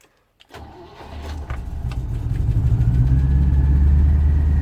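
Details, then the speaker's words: 1972 Range Rover A Suffix project, choke-out cold start checked for clatter: a brief crank, quick catch, then a rising, even low idle with no clatter or knock; clean, healthy start. "Right, choke out. Listen to this, see if it clatters."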